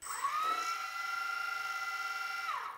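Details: DJI Phantom drone after motor and ESC repair, top shell resting on motors, propellers off: motors spin up to a steady, even high whine, hold smoothly, wind down cleanly; normal motor run.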